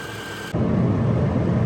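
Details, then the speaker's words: 2007/2008 Subaru Forester 2.5X idling after replacing the failed alternator with a known-good unit, now charging: brief click then low steady even engine hum, no knocks or whines; normal healthy idle. "Sounds like it's charging. And look at there. Charging once again, so we'll let this run, charge our battery on up, and see if our check engine light throws"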